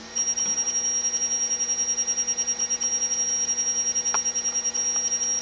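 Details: Samsung HLT6156W projection TV: thin, steady high-pitched whine with a fast fluttering pulse about three times a second.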